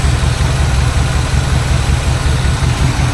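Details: 1986 GMC square body back on the road after almost 10 years, new fuel filter, air filter, oil, plugs, wires, gas and battery: deep, steady low rumble at idle with an even pulse, no stumbles or knocks; idles smoothly.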